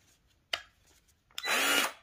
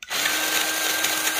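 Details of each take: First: Milwaukee 2646-20 M18 grease gun after replacing the gearbox, whose high-speed gear had died, test in speed ranges one and two: clean, steady motor whine with no grinding or knocking, running smooth. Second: Milwaukee 2646-20 M18 Fuel grease gun, over 3 years old, tube and hose removed: in high range a steady motor whine with a harsh gritty grinding; high-speed gear failed, low range still works; gearbox to be replaced.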